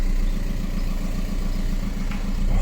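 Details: 2008 VW Golf 5 1.9 TDI 90 hp idling just after flywheel and clutch replacement: steady, even low diesel rumble with no knocks or rattles; normal idle.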